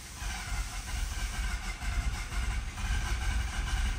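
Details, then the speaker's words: 2011 Mazda RX-8, 1.3 L naturally aspirated rotary, low compression; slow uneven starter churn with loping beat and wet hiss, never fires; badly flooded, nearly catching, battery weakening. "This thing's flooded so bad. Come on, baby, go! Almost."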